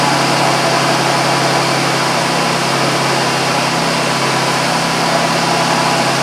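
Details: 2001 Buick Park Avenue idling after A/C compressor clutch and pulley replacement (bad pulley bearing made a horrendous noise with clutch disengaged), air gap 0.030 in: smooth steady hum, no grinding or squeal with clutch off; healthy.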